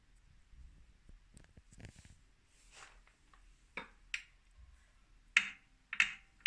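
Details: New 2018 Wahoo Kickr Core bike trainer in a quiet room: sharp, dry clicks that grow louder, repeating about every half second. Owner suspects a broken axle bearing or loose magnets, unconfirmed.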